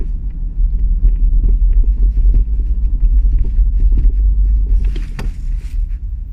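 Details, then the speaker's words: Opel Astra J, irregular dull clunks from the rear end while driving over small bumps, knocking through road rumble; appears again when setting off after stopping; source unknown, owner asking for help. "sound comes when I Drive over little bumps on road I'm I stay on the place now but when I start again create this sound will appear"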